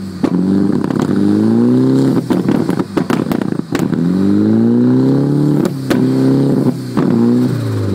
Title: Ross 240sx rough idle